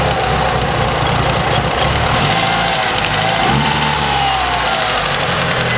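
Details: Mitsubishi Evo at idle: steady mid-pitched idle with faint quick even tick throughout; ticking noise, cause unknown.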